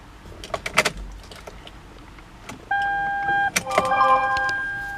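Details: 2007 Toyota Highlander Hybrid: a few light clicks, then steady two-tone warning chime, no cranking or engine sound; no-start with warning chime.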